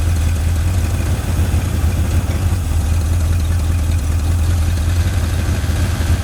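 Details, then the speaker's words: 1981 Ford Mustang 5.0 V8, revived after sitting, no radiator fan fitted: steady, deep idle with even pulse and no ticking or stumbling, sitting slightly high, owner suspects timing; engine sounds healthy. "that's exciting I'm happy engine sounds really good very healthy"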